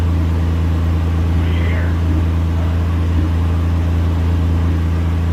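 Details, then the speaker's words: Ford F100 project started after fitting a MAP sensor, with the neutral safety switch bypassed. Deep, loud, even rumble from an open, unsilenced engine holding a steady idle, no power steering pump whine. Normal running. "i don't even hear the power steering pump lining which is completely odd"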